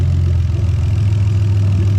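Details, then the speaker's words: Lexus IS300 2JZ-GE VVT-i swapped into an IS200 with J160 manual and remapped ECU, at idle: deep, steady idle with a lumpy, uneven beat as injectors are pulled one by one, a dead-cylinder misfire. "i'm going to run around and i'm just going to pull out all the injectors one by one so we can hear them misfiring and they're going to put them all back in again"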